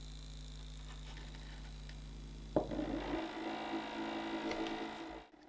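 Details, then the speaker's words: Stepper motor on an A4988 driver in full-step mode, Arduino-controlled, sitting on a wooden desk that amplifies it (no damping mounts): a low steady hum, then a rough buzzing rattle as the motor steps, typical full-step drive noise. "The sound is obviously being amplified by the wooden desk, and wouldn't be this loud with proper vibration damping mounts, but this way you get a good idea of the improvement."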